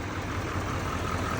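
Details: 2017-2019 Chevy L5P Duramax 6.6 diesel warming up at idle after No. 4 injector pigtail replacement: low, steady idle with an even beat and no ticks or misses, running healthy.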